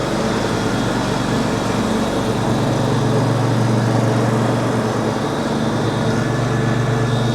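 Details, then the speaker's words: Lawn tractor cutting 15–20 cm grass with the deck at mid height, after fitting new blades: steady engine drone with a constant blade whoosh, no bogging under load. The deck sounds different, almost like an electric motor, and cuts cleanly. "The mower deck got a different sound to it. It almost sounds like an electric engine or a motor. Nice."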